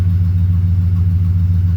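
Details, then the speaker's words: 2008 Ford with a 4.6 L V8, after fixing idle problems that also cut the air conditioning: deep, even idle with a steady low rumble, no knock, shake or stumble, running smoothly. "You hear how nice? And it's not knocking. Let me show you something. [Music] Okay. See how nice and steady that is? It's not shaking and all that kind of stuff."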